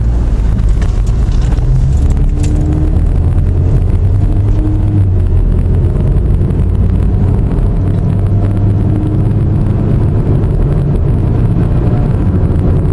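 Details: Pontiac while driving: steady low droning hum over road rumble, like an airplane; suspected bad wheel bearing, not confirmed.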